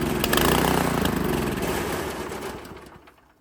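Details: Italian Workman 2 Multimixer cement mixer, Honda GX160, jacked level, choke on, carb adjustment screw turned: uneven popping run about four beats a second, then stumbles and dies; rough running, carburettor suspected.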